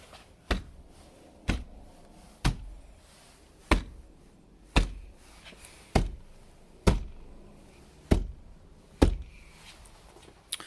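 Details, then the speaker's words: 2014 Jeep Grand Cherokee WK2 diesel with about 50,000 miles: sharp hollow thumps about once a second, each trailing into a brief loose buzz. This is the typical driver-door panel rattle, heard before sound-deadening the doors. "so this is a 2014 and it has your typical Jeep features which would be rattles so take a listen to this"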